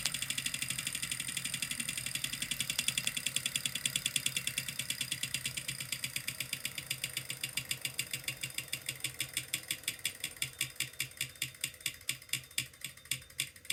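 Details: Kickr Core trainer: sharp, regular clicks about four a second, slowing steadily as the flywheel coasts down; a repetitive clicking noise whose source is unknown.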